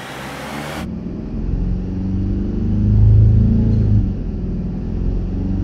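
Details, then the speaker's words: 2009 Mercedes E 220 CDI (W212, 125 kW, 152,000 km) with a loud drone mainly under acceleration: with rubber blocks fitted under the rear mount, it runs a smooth, even hum with a brief rev swell and the drone is gone. The rear mount needs replacing. "egal was er jetzt gemacht hat es ist weg egal was du jetzt gemacht hast ist ist weg ist weg"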